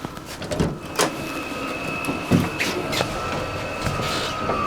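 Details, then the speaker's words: Vevor 12V 5kW diesel heater in a small car, about 35°F outside: after its initial warm-up phase it has slowed to a quieter steady fan hum with a thin whine and soft clicks, running normally. "the heater has uh gone through it its initial warm-up phase and now it's slowed down quite a bit it's not making near as much noise as it was so I think we're ready to go for a ride"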